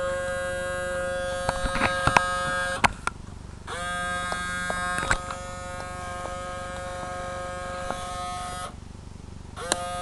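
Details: RCA CMR300 VHS camcorder, recently acquired: steady electric buzz cutting in and out with clicks as the mechanism tries and fails; tape won't eject; owner suspects the belt broke off.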